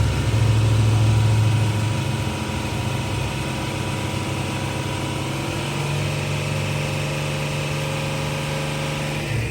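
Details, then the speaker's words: Jeep Cherokee after repairing hidden shorted wiring that had caused a bad misfire and stalling: a low, steady, even idle with no skipped pulses and normal exhaust pulsing. White smoke is hoped to be residual burn-off of fuel flooded by a stuck injector. "So we know that's pulsing like normal. And it sounds like it too. Oh yeah. I mean, It's not misfiring."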